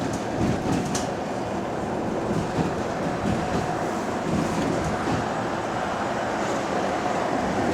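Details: Recorded on a GAL EBD67 bus on route SL4 after the creaking suspension was fixed: a steady rolling rumble with light rattles and no rhythmic creaking over bumps. The suspension is quiet.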